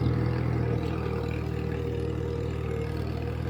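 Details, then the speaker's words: 1958 Farmall 350 tractor driving in a field after carburetor and fuel-tank flow fix: steady low chugging at constant speed, no stumbles or knocks; gas getting through, running well. "but I'm very pleased with the what I'm seeing so far with the Farmall gas is getting to it seems to be running"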